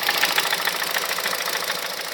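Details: 2006 Honda Civic Hybrid 1.3 IMA at idle: light rapid knocking over hissy idle, no low rumble, goes silent above 2200 rpm; cause unknown, owner suspects camshaft, valves, bearings, timing chain or piston slap.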